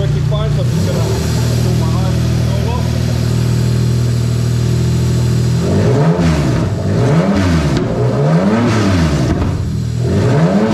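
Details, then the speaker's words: 1JZ-GT on a JZ modular harness with ECUMaster Classic ECU, IS200 swap, with coil and injector-size settings changed. Smooth idle, then several quick blips rising and falling cleanly with no misses: the engine revs healthy. "right so as you can see she runs really really nicely"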